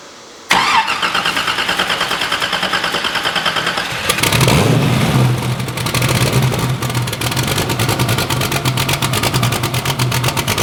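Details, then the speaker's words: Hot rod V8 after cooling system completion and bleeding: starter cranks a few seconds, catches cleanly and settles into a steady deep idle without surging; tune richened to cure earlier idle surge, now slightly rich. "So she's ready. Sounds good. I actually fattened up the tune-up a little bit. It was kind of surging a little bit at idle."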